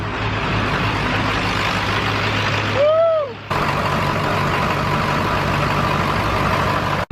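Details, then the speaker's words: Ford 7.3 Powerstroke diesel after installing new Stage 3 205/30 injectors; low steady idle with an even thrum, no knocking or misses, running smooth and healthy. "are you guys so the truck is finally running we got the new injectors in it's running nice and smooth as you hopefully as you can hear behind me"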